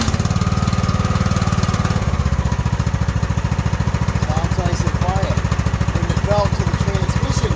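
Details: Craftsman riding mower with hydro transmission, broken transmission fan just replaced, engine running with brake and clutch engaged; heavy throb about two pulses a second over a loud rough drone, seemingly toward the front. Suspected drivetrain or pulley issue, unconfirmed.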